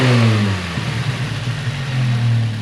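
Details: Miata engine with a newly installed Fab9 Elite intake and BC stage 2 plus cams: climbs smoothly from a steady idle through a clean light rev and settles back with no knocks, ticks or misses; sounds healthy.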